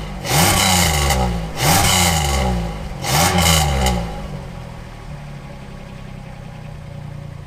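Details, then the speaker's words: 1997 Camaro 3.8 L V6 (3800 Series II) with a new Walker Sound FX 18235 muffler: three throttle blips, then a steady, even idle with a deep, smooth exhaust note, slightly louder than stock, with no rattles or leaks. "Otherwise, the sound is pretty good. It sounds a little bit louder than stock, which is what they claim. And I think it's given this thing a nice little snarl, but not too loud"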